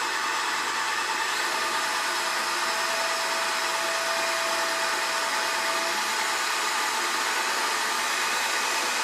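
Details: BL 2.4GHz RC helicopter 9004G, freshly charged battery, pinned to the ground during the speed button test: loud, even high-pitched whir with a faint steady tone and no rattle. Normal motor running.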